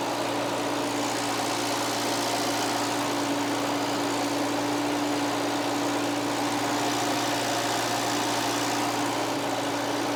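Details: Bobcat 610 skid steer, run hard and neglected, running after a part was reinstalled and the system refilled; steady even hum, smooth unbroken drone with no knocks or misses and no leaks; normal idle.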